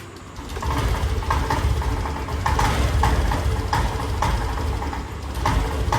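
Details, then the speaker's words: Honda Activa BS6 scooter that won't take revs, new original petrol filter didn't help, no MIL light: uneven note with irregular stumbles and surges on throttle, catching then dropping out; misfire from fouled, over-gapped spark plug. "देखिए ऐसे हो रहा है, यानी missing type से, झटके type से ले रहा। कभी रेस पकड़ रही, कभी नहीं पकड़ रही।"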